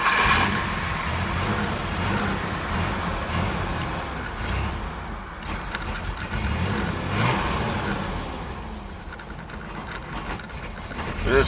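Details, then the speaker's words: 1997 Ford Ranger 4.0 OHV V6, just started with a little fuel, idles roughly, sagging and surging, worse than usual; tangled roughed-up vacuum lines, leak suspected at upper intake manifold, found with carb cleaner spray. Rough unstable idle from vacuum leak. "is usually your sign of a vacuum leak here. So, you don't want to idle. This one happens to be a little bit worse than usual."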